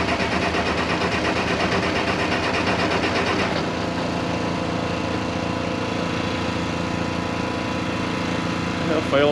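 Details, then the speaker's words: 1086 diesel after injection pump work, fuel filters not changed, weak battery: at wide-open throttle it fires and runs ragged, skipping for three or four seconds, then fades as if fuel were shut off; starts briefly then dies; pump timing questioned. "it'll crank up for like three or four seconds i'll show you in a minute it sounds like it's skipping and it's like you just shut the fuel back off"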